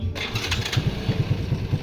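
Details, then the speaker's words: Shineray motorcycle small single after engine-noise repair, screws refitted and tightened on closed cover: fires and settles to even quick putter, no rattle or tapping; healthy, noise resolved. "bem silenciosa agora vamos ligar de novo pronto gente concluído né"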